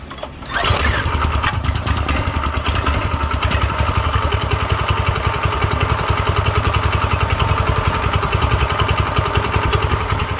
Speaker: that's how a clone is supposed to sound